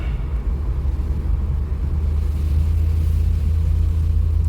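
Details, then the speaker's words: TPI/LT1 V8 Firebird on a test drive just after installing a Holley airfoil; deep, even V8 rumble with no stumble or skipped beat, not misfiring: normal running. "so far, like I said, it's not misfiring, it's not doing anything weird."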